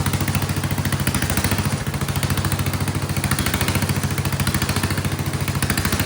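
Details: Vintage Kohler generator with big flathead engine (guessed 400–500 cc), free yard-sale unit, float spring removed, running a shop vac: loud, steady single-cylinder thump, load stops the surging; still surges a bit, suspected fuel delivery/carburetor issue.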